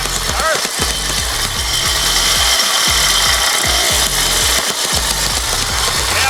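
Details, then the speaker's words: Mikasa 75H tamper with Robin 12D two-stroke after repair, CJY plug instead of hotter CJ8, air filter on, started without choke with the petcock off: steady three to four thumps a second over a crisp buzz; running good. "don't know where the off button is that was with the petcock gas off so actually running good"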